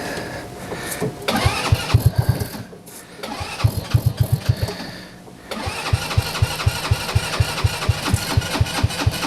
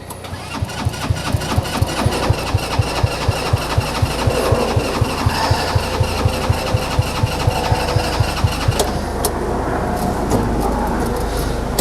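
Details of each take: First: TW200 Trail Wagon Runabout 4x2 kids UTV, battery shot: several cranking bursts, then catches into a regular quick single-cylinder putter; starts and runs fine. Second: TW200 Trail Wagon Runabout 4x2 kids UTV, before carb work: steady cranking at about two compression beats a second for twelve seconds, never catching; owner suspects gummed-up carburetor, a common problem, and plans to pull it.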